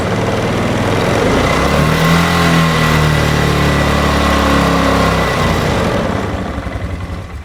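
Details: 2008 Polaris Ranger 500 UTV on a rigged-up, shot battery; owner hopes running it hard will clear it out, cause unconfirmed. Engine revs unevenly and labours, then sags and dies after about five seconds. Rough running and stalling.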